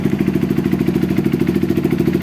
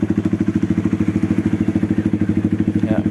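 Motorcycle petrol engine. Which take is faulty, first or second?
second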